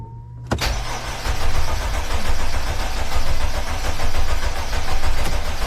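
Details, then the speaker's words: Mercedes Sprinter van 3.0L diesel, after engine oil cooler replacement with coolant and oil refilled: starter catches quickly, then steady even low idle with no knocks or misses; check engine light went off, no dash lights, healthy start. "so right there as you can hear the engine is running and the check engine light went off we got no lights on on the dash so that's good"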